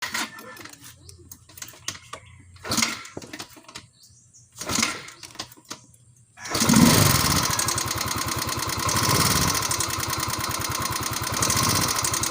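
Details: Yamaha Mio scooter: after handling and start-up, a light, fast tick rides over the small engine's idle, taken as valve-train ticking; cause not confirmed.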